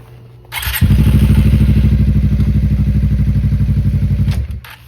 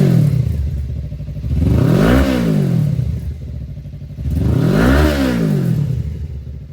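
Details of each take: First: 2018 Suzuki GSXR, once rat-infested: engine runs a few seconds with steady low beat then cuts out when put in gear; owner suspects clutch sensor or kickstand safety switch, later found chewed kickstand switch wire. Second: 2018 Suzuki GSXR bought not running, once rat-infested, 3,67 miles shown, empty tank: throttle blipped twice, revs rise and fall cleanly with crisp even note, no knocks or rattles; runs healthy.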